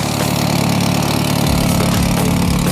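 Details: VW Saveiro turbo, restarted after sitting almost two days, when valve tapping had appeared: steady, even idle with a smooth deep hum and no tapping from the top end now. The noise stopped; normal idle.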